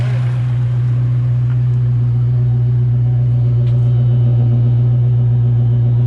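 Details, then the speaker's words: Rebuilt Ford 302 with stock bottom end, GT40P heads, Cobra cam and stock speed-density ECU, before break-in; a lifter that seemed to stick has pumped up. Steady, even V8 rumble, no knocks or ticks: normal idle. "I mean, you see it, look how well this thing runs."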